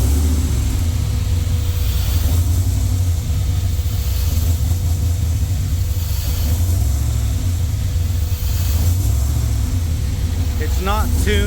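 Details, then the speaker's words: Jeep with freshly rebuilt LS V8 (forged internals, higher compression, new cam) just after first start, warming from cold start: deep loping uneven rumble at high idle; rough idle because not yet tuned for the cam. "yet for this cam."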